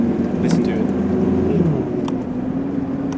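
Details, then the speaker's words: 30-year-old Mitsubishi Pajero 4x4 turbo diesel while driving: steady, quiet low drone under light road noise with no knocks or rattles; normal running. "very quiet turbo diesel engine oftentimes i don't even listen to radio or listen to the engine sounds and listen for new noises"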